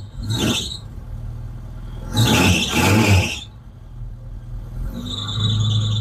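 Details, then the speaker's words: Vauxhall Chevette barn find with suspected head gasket problem and creamy oil, cold start before engine flush: high shrill chirping squeal over rough cold idle, settling to steady screech; drive belt needs adjusting after standing. "as you can hear there still got a bit of a squeal on that belt still need to adjust that a little bit but has been standing"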